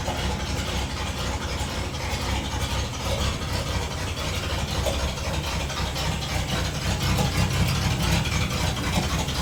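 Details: Loud, rough running with an uneven low rumble and clatter that never settles on a 1960 Dodge D100; persistent engine noise, cause not yet found.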